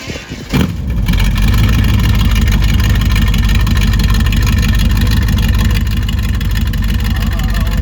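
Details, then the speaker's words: Chevelle V8 that sat for years, just restarted after fresh fuel, new spark plugs, water in the cooling system and a borrowed battery; running with the exhaust cutout open. Loud deep lumpy loping idle; running pretty good. Normal running. "Cutout still works. Sweet. Alright, let's let it run for a little bit. Yeah, running pretty good."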